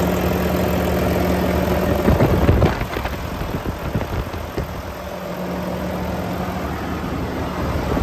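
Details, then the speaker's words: 2018 Volvo VNL 630, D13 455 hp, iShift, hot at 170°, oil filler cap off: steady raised idle with even drone and fan roaring continuously due to AC, no knocks, misses or blow-by; healthy engine. "I'm going to take off the oil filler cap show you the engine running and show you that there's no blow by on this engine it's in perfect running condition so let's get that idle turned up and we'll have a listen"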